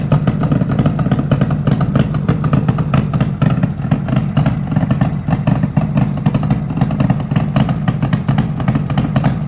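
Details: 1972 Suzuki GT750J two-stroke water-cooled triple, 35k miles, cold start on choke: rapid sharp popping at idle with raspy chuffing over exhaust beat; exhaust leaking where crossover pipe has come out of its joint.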